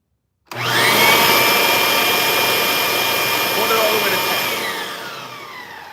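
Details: Bosch vacuum on repair bench, running on the lower-power upright setting: motor spins up quickly to a strong, even, high whir and holds steady with no rattle or sag; healthy vacuum motor.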